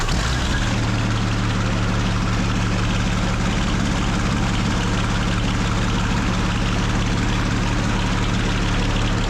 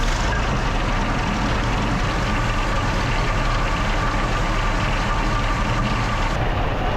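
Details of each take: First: Original WWII Maybach HL230 V12 Panther tank engine after tune-up and lowering idle via the accelerator linkage; deep, smooth, even rumble, steady and unbroken throughout; normal running, clean and healthy. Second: Original WWII Maybach HL230 V12 Panther tank engine during a tune-up, before adjustment; loud, even, fast idle rumble with no dips, clearly above proper idle; high idle speed, adjusted by turning the main accelerator linkage one turn to bring it down.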